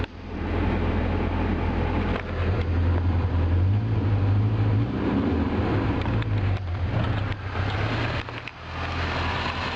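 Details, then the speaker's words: 1980 Triumph TR7 with a self-rebuilt engine, just started: low, uneven loping idle that wavers and dips, still needs tuning, and the water pump also needs replacing; rough idle. "still runs a little bit rough right now but i am going to dial it in and eventually it will run pretty good i think"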